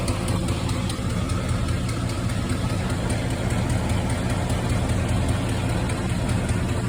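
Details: 1972 Chevelle at a deep, lumpy idle with a light, sharp, steady top-end ticking. Owner suspects a loose lifter, others suggest an exhaust leak; the cause is not confirmed.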